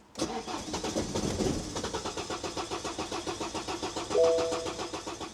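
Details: 2009 BMW 118d diesel, broken down before eBay sale: steady rhythmic cranking about four or five pulses a second for several seconds, never fires; cranks, won't start; owner suspects cylinder 2 injector fault, not confirmed.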